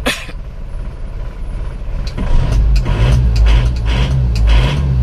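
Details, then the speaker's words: Isuzu Panther diesel, cold start, oil-filler and dipstick blow-by smoke: hard clattering knock repeating steadily over low rumble, harsh like a truck; mechanic suspects injection pump timing too far advanced, not confirmed. "Saya tidak suka karakter mesin yang suaranya galak krang seperti truk kalau Panther Saya lebih suka yang halus tapi tidak mengurangi tenaga"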